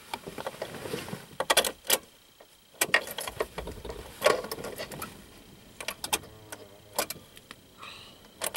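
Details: 2000 Subaru Outback after starter replacement: a few sharp single clicks with no cranking between them; starter relay just clicks, starter is fine, and the battery has a dead internal short; it started only with the starter boosted directly from another battery.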